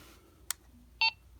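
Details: Target series walkie-talkie, reassembled, switched on: a click then one clean, short high beep as it powers on; normal start-up, radio works.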